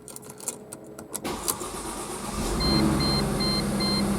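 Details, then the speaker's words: Mercedes C230 that cranked but would not start, after fuel pump replacement: a few slow cranking beats, then the engine catches and settles into an even idle while a cabin chime beeps; the bad fuel pump was the cause. "and there we go so it was the fuel pump giving us problems"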